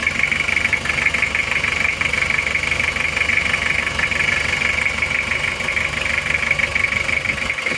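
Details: Toyota Kijang diesel 2L just started after rebuild for oil burning from 2 mm ring gap, new liners, original pistons reused: even idle with steady light clatter about three beats per second, no puffing or knocking, clean exhaust, healthy.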